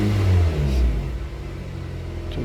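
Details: 2010 Honda CR-V after fixing the EVAP purge valve for P0171 lean code: engine revs up smoothly and settles back with a deep, even pull and no stumble or popping; fuel trims now okay.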